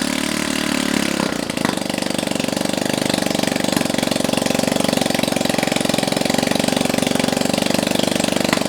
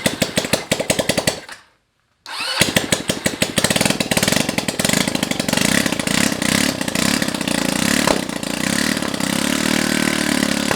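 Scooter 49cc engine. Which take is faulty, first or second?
second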